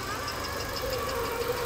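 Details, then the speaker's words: Used automatic imported Hyundai Tucson at idle: steady, even engine hum with no knocks or misses, only light outside noise audible; normal smooth idle. "Máy nổ rất êm luôn hầu như chỉ nghe tiếng ồn ào bên ngoài thôi còn con xe này máy nổ êm các bác nhá"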